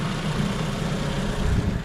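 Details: 2016 Toyota Camry with a no-crank complaint, idling with the lights, high beams and AC on: steady low idle hum, no dips or surges. The alternator keeps up at about 13.5 V under load; the old battery is suspected.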